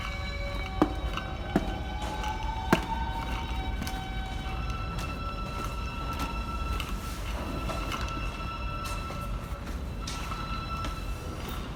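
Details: NYC subway train stopped at a red signal, York Street Station: several high, wavering squeals drifting in pitch over a low rumble; loud squealing, cause unknown.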